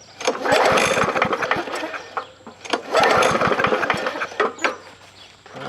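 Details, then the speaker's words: Free scrapyard push mower with a 4.5 hp engine, year unknown, first start after adding gas: revs up and sags in waves, barely staying lit, and needs priming to keep running; owner may clean the carburetor. "now on the first starter that you just saw now you notice I had to come up here and kind of prime this a little bit to keep it running"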